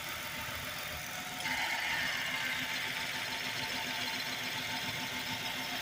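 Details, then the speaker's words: 2008 Chrysler 300 2.7L V6, owner's daily driver, hood open: steady even idle hum with a soft regular patter and no knocks or misses; normal idle. "Car runs excellent. Again, it's my everyday ride, what have you, as you can hear, what have you. There's nothing wrong with the car at all, what have you."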